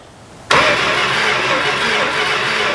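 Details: 1970 Dodge Coronet 500 with 383 big block, not started in about 20 years, cranked with the key off: sudden start then strong, steady cranking with an even beat and no grinding or clicking; the starter turns the engine fine.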